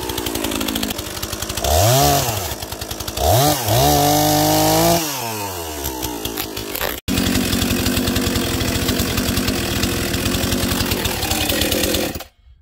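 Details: Husqvarna 242 XP chainsaw, used for a small tree job in tight quarters in the yard, blips up and down crisply, then holds a strong, even high-speed scream without bogging or stumbling; running well.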